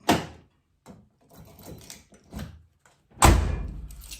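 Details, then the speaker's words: 1995 Nissan D21 truck manual door lock, after cleaning and lubricating a stuck lock and several minutes of wiggling the key: crisp clunks as the key turns and the latch throws, then a solid door thunk; lock now works freely. "Okay, so it's been, I don't know, 5 minutes, and I've been wiggling this. And you can hear it open, so it's opening now. I'm going to lock it."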